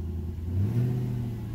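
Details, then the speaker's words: 2003 Infiniti M45 V8 after swapping coil for misfire moving between cylinders 6 and 8: deep even rumble swelling with throttle blip, smooth with no miss, slight exhaust leak likely a resonator remains. "but wow that sounds good"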